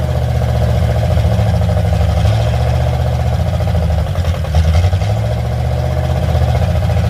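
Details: Carbureted car with only a Y-pipe exhaust: a lumpy idle held high, stumbling, with a dip midway. It won't idle down low and quits after about 2 seconds unless the idle is raised, and the choke-side mixture screw has no effect; owner blames the carburetor.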